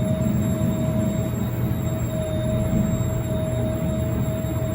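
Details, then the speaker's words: 1997 Jeep Grand Cherokee in-tank fuel pump, key on, after power was restored to its supply wire: steady, even hum with a constant mid-pitched whine and no surging or grinding; pump works and needs no replacement. "you can hear that so now we know that our fuel pump is still good and it doesn't need to be changed back here again"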